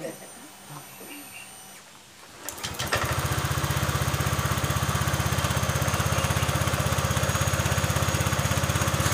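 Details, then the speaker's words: Honda Vario Techno 125/150 scooter after a cam chain rattle repair by replacing the tensioner under the throttle body: it starts and settles into an even idle thump with no top-end rattle, though the engine feels less punchy. "masalah bunyi ini sudah sembuh tapi motornya memang kurang jos ya suaranya seperti ini suaranya hilang ya"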